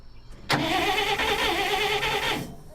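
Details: 1959 Dodge D-300 truck after starter replacement: crisp starter whir kicks in sharply, spins evenly about two seconds and drops cleanly away; starter engaging and releasing properly.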